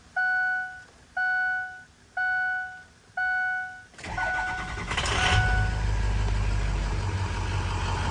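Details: Bulletproofed, head-studded 6.0 diesel truck with new engine and transmission: four dash chimes, brief crank, fires and settles into a smooth, steady idle; healthy start.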